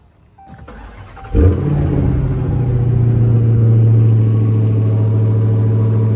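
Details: Dodge Hellcat Redeye, supercharged, cold start after fuel pump work; owner suspected failed fuel pump after it shut off driving and stalled ~5 seconds after starts: brief crank, loud flare, deep steady idle; stalls soon after.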